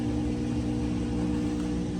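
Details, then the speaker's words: Whirlpool WTW5100HW0 washer spinning after a belt and splutch kit replacement for a belt squeal: smooth spin with a faint remaining whine but no belt slipping; a grooved pulley was found. "Not bad. Still got a little wine to it, but not a like the belt slipping. Look at that girl go spinning nice and beautiful."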